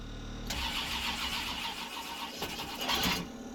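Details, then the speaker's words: GM V8 truck engine, first start after it seized when the oil cooler hose came loose at the filter adapter, with new spark plugs and transmission fluid in the cylinders: it cranks and catches into a ragged, stumbling, smoky idle because plug wires 6 and 8 were crossed and cross-firing. "All right, I had 6 and 8 crossed. It was cross firing. I had 6 and 8 crossed on the plugs."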